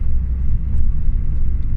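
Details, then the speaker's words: Mk5 Ford Fiesta project car driving up the road after replacing the drop links: steady low road rumble with no clunks or knocks over bumps; the front-suspension knock is gone. "I think we've sort of the problems that we've been having there's no knocking that's all and"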